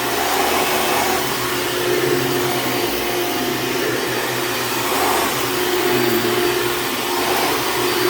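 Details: Hoover Dimension Supreme upright vacuum running: steady motor roar with faint thin squeal coming and going; belt going out, squeals immediately on rugs; worn drive belt squeal.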